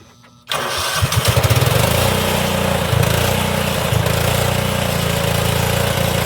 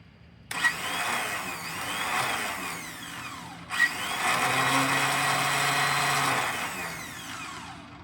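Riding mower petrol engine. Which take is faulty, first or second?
second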